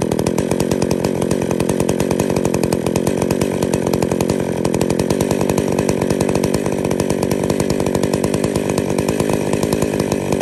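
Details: Two-stroke chainsaw with centrifugal clutch, after fitting new clutch springs; spec is about 2500 rpm idle with clutch engagement near 3500 rpm: crisp, even idle with rapid regular pulses, no chain whir or clutch chatter; normal idle.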